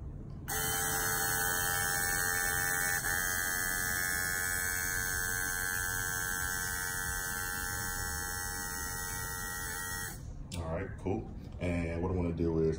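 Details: Electric-converted Nissan 350Z brake vacuum pump, bench-tested after reversing polarity to fix a reversed flow: clean, steady electric buzz at one pitch for about ten seconds, then cuts off; the pump runs smoothly.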